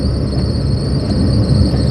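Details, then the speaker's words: 1996 Toyota Paseo while driving: thin, steady high squeal over the road rumble from a sticky pulley on the accessory belt. "And you can hear my squealy belts, can't you? It's one of the one of the pulleys on the accessory belt is um sticky. It squeals."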